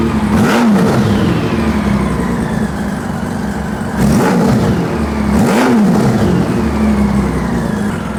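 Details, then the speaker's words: 2000 Honda Valkyrie GL1500C, warmed up, non-stock exhaust with crossover pipe; revs rise and fall with sharp backfire pops from the left exhaust as throttle opens to midrange, typical of a lean mixture. "That backfire is pretty hideous. It seems like when I put my hand down, it's coming from this left exhaust, left-hand side."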